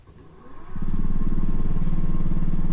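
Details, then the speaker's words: Mini wood lathe with eccentric jig, pendant mounted at the extreme off-center position, lathe screwed to a wall-fixed bench: motor spins up to a steady low drone with throbbing rumble that never settles; heavy vibration from off-center load. "you can hear the sound I mean I'm on the going at any speed it's vibrating like M unless you a really secure mounting uh on the floor Etc"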